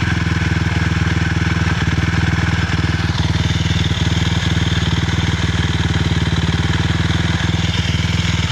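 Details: 2006 Suzuki LTR 450 single-cylinder ATV idling: rough, uneven beat with occasional sharp pops, weird noise though it still has power and backfires; abnormal engine noise with backfiring.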